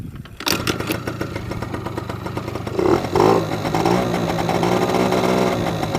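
Engine catches after a brief crank and settles into a steady, slightly uneven two-stroke idle with a light rev; runs fine.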